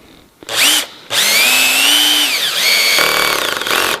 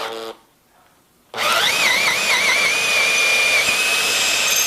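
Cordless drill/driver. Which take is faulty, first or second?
first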